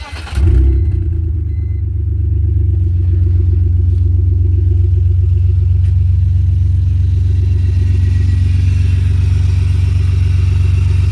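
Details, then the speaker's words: BMW E46 325xi after alternator replacement: starts promptly and settles into a smooth, steady idle with a deep even hum and no knock; charging voltage holds about 14.0–14.1 V, so the new alternator works. "seems to be good a few seconds we'll check the voltage go from there"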